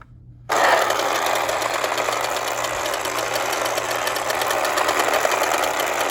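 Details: Late-1960s/early-1970s Remco Tiger Cat toy jeep after a shifter repair locks the clutch dog in place: abrupt start into a steady high-pitched motor and gear whir, no slipping or knocking; holds low gear normally.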